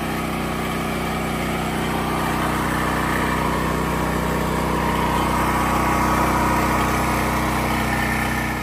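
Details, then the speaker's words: Predator 9,000 watt generator, 4 years stored outdoors, powering a house during a power outage; steady even drone holding constant speed under electrical load with no hunting or knocking, healthy running. "The Predator 9,000 watt generator. How's she doing? Well, you can probably kind of hear it running, can't you?"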